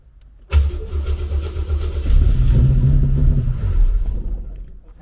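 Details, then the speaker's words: 1988 Opala Diplomata converted from carburetor to FuelTech FT450 injection: engine catches and revs about three seconds, then fades and dies; fuel first suspected, but RPM signal is lost from a weak crank trigger. "Nein, Rotation verloren Ich denke, es ist Treibstoff Nein, das Drehzahlsignal geht verloren"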